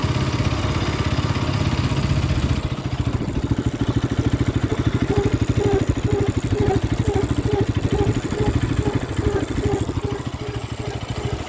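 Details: Bajaj Pulsar RS 200, brake noise unresolved four months after purchase: short squeak repeating about twice a second with wheel rotation under the engine's steady putter; brakes squealing.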